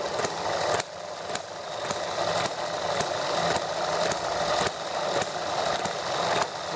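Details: ETX small single-cylinder model engine, first hand-start after a valve job for a leaking intake valve: fires evenly with a light steady clatter, no misses, runs smoothly; breather whistles with its cap off.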